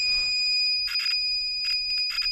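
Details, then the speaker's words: Nissan Micra K12 with a dead front right speaker, radio unit removed, meter probing the red and green speaker cables: a steady high-pitched continuity tone with probe scratches. Continuity is confirmed and the speaker wiring is intact. "it's making noise so also it's or better perfect the keyboard is okay"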